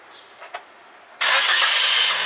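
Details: Toyota Corolla that wouldn't start, suspected weak four-year-old battery: brief crank, then the engine catches at once and settles into a steady idle, a clean healthy start.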